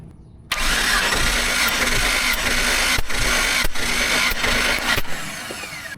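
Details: Jeep engine cranking on the starter during a compression test of cylinder 3, which reads 130 psi: quick, even beat with no catches or drag; healthy cranking.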